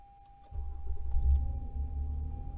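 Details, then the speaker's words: Minivan camper engine started by remote starter: quiet, then short crank and engine catches into low, smooth, steady idle; normal start. "This is my remote starter. I'm going to turn on the whole engine. You might be able to hear it turn on in just a sec."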